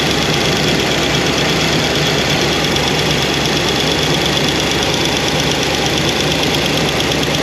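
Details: New Comp Cams hydraulic roller cam and lifters after break-in, idling: light rapid ticking following engine speed; number 7 exhaust lifter noisy with little oil flow, won't adjust out, solid roller lifters planned.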